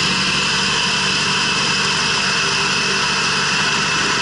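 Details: 2006 Subaru B9 Tribeca at idle: steady high hiss over an even idle, constant pitch, sounding like an air leak; owner suspects a vacuum leak, source not confirmed.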